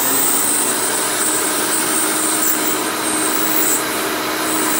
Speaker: you can hear, there's definitely a lot of leakage around there.